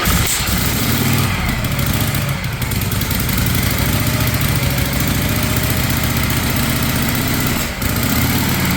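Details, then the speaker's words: 1956 Harley-Davidson FLH restoration with Bendix carburetor, first kick start: big twin settles into a slow, loping idle that sounds a touch too low; idle needs turning up. "You might have to turn the throttle up a little. Yeah, we might have to turn the idle up a little."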